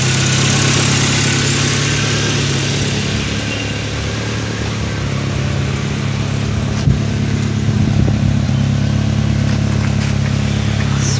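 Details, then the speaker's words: Chevrolet Spark after head gasket replacement and timing job, restarted before coolant fill with one hose still off: steady, even low idle rumble with no knocks, misses or hunting; engine running smoothly. "इसे एक बार फिर से शुरू करें। देखो दोस्तों, गाड़ी चल रही है।"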